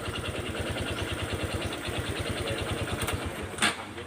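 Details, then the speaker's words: Honda Wave 125 single-cylinder motorcycle idling: hard, regular metallic knock on every firing stroke over the exhaust beat; connecting rod/crank knock, mechanic warns it will soon lock the piston if ridden. "รถใครเป็นอาการแบบนี้นะครับอย่าฝืนขับนะครับขับได้อีกไม่นานนะครับไอ้ลูกสูบล็อคแน่นอนนะครับก้านล็อคก้านล็อกเสร็จลูกสูบวิ่งไม่ได้แล้วนะอาการแบบนี้นะ"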